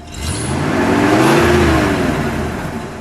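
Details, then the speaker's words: 1965 Cadillac Eldorado convertible, factory 429 cu in V8, free revs at standstill after idling: deep note swells smoothly on the throttle and falls back cleanly, no misses or knocks, whole engine torques over; healthy. "Paul, you're actually going to have to give it a better rev than that, or I want to hear it. All right, there we go. The whole thing torqued on that."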